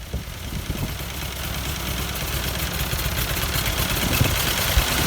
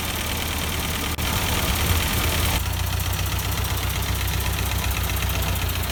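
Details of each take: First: 1952 Ford 8N tractor, partially restored, unrun for years: rough uneven idle stumbling and missing beats as it slowly picks up; owner suspects carburetor adjustment or bad plug, but one cylinder was dead from stuck-open exhaust valve. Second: 1952 Ford 8N tractor, not run in years, after freeing a stuck exhaust valve: low, even idle with steady firing beat, no misses or knocks, still burning off oil and excess fuel; normal idle, no transmission noises.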